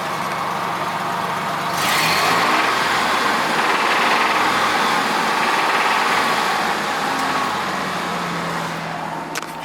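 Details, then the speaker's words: Corvette under restoration revved: a harsh, uneven, raw engine note. One catalytic converter has an internal rattle; the cause is not pinned down. "Also, it's making a pretty bad sound, too. Like real bad."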